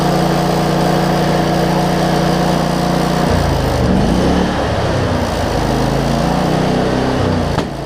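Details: Cub Cadet zero-turn mower with Briggs V-twin, previously running rich with wiring, charging and governor issues, cranked after tightening a part that had wiggled loose; fires up and runs steadily, speed wandering slightly; normal running, owner thinks it's fixed.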